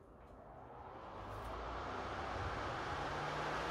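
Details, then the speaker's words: PS5 console fan with an adjustable fan-speed controller turned to maximum: loud, steady rushing air that swells over two seconds then holds even, no rattle; cooling fan at full speed. "there we go guys it's like a jet engine all right that's that ramped up to the Max"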